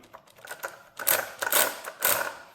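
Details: Two-year-old Traxxas Unlimited Desert Racer RC truck on 4S (two 2S LiPos), driveline turned by hand, front drive not engaging under the truck's weight: about three loud ratchet snaps of skipping teeth; owner suspects the engagement gear where it connects into the diff has broken.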